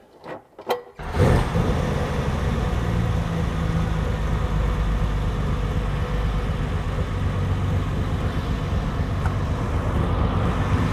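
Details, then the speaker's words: Ferrari 330 GTC V12 being recommissioned, heard at the carburetor tops: it catches after a few cranks and settles into a steady, deep idle that is running rich. Revs rise as a mixture screw is turned in. "yeah these are uh running rich"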